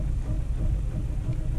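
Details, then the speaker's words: 2007 Ford Fiesta 1.4 TDCi diesel with the cylinder one injector unplugged on top of a weak cylinder two injector. Even lumpier, shaking idle with dropped firing strokes; cylinder one is judged a good injector, and cylinder two contributes only a little. "okay that's interesting so that it still starts the car so um but it does feel worse like it's even more lumpy now"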